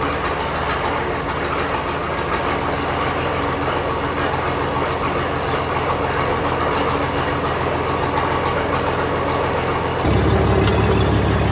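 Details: Old Case tractor after fixing a no-run caused by moisture in its very old distributor (dried out, points filed; coils changed): steady, even low drone, no misses or stumbles, all cylinders firing; running properly.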